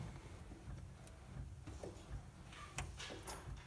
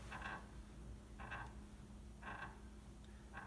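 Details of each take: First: if I go all the way then it's just pulling the dampers all the way back so no squeak Second: Piano sustain pedal with the kneeboard removed: four short, raspy squeaks, about one a second, each time the pedal is pressed. The squeaking sustain pedal is usually fixed by lubrication, with Teflon powder preferred over graphite.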